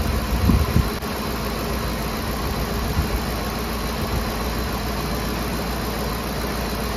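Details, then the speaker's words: 2010 Ford F-150 5.4L Triton 3-valve V8 idling after replacing the VCT solenoids; steady even idle, no misfires, only the light valvetrain tick these engines all have, no leaks. "So far, so good. doesn't appear to have any misfires or ticking. Sounds pretty good. I mean, aside from that ticking, but they all do that."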